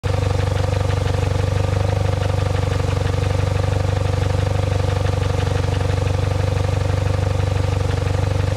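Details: 2007 Saab 9-3 at idle: sharp regular tapping about four times a second over the engine, an engine knock or timing noise, cause not confirmed.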